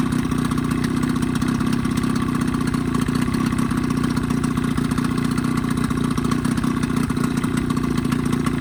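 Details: 1985 Evinrude 20hp two-stroke outboard modified to 25hp, after full service, new reeds, primer seals, thermostat; even steady buzzing idle, no misses or surges; earlier lean coughing and spitting fixed, normal smooth idle.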